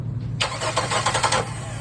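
Steady starter cranking, engine turning over evenly but never catching or firing up, then it stops; a crank, no-start.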